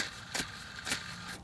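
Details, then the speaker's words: Mercedes E320, idler pulley spun by hand with the belt slack: a rough, gritty hiss that surges as it turns. Worn idler bearing, being replaced along with the tensioner. "so it's losing over here on the idler and look at that my idler is really noisy and"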